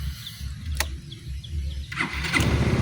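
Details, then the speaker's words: Yamaha Mio MXi 125 scooter, one month after overhaul with new connecting rod, cylinder block and side bearing: quiet low thrum, fires on one press and settles into an even run, no knock or rattle. "So ito yung andar ng kanyang makina. Ayan. Ayan yung kanyang cylinder block. So update lang dito sa MIUI MXi. Yan, goods na goods."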